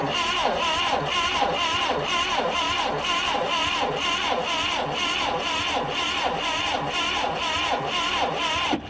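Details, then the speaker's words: Old Clark forklift bought at auction, starter taken apart and powered from a jump pack: strong, regular cranking beats about once a second with no dragging or clicking; cranks well, distributor still to be checked. "All right, that cranks over pretty good."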